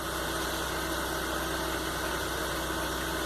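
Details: Warm engine with idle control adjusted, while coil and oxygen sensor signals are checked on oscilloscope: steady, even idle hum with no stumbles, misses or knocks, running normally.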